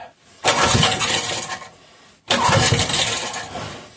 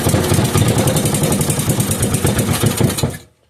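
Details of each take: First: 5 hp Briggs & Stratton engine with gear reduction, long-stored with old black oil: two bursts of rough pull-start cranking, each fading after about a second without running on its own fuel supply; cranks but won't start. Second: 5 hp Briggs & Stratton single-cylinder with gear reduction, run briefly off a temporary fuel supply rather than its own tank: brisk, even putter for about three seconds then clean shutdown, no knocks, misses or smoke; healthy.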